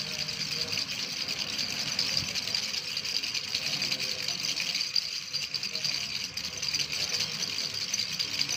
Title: Rattle sound-1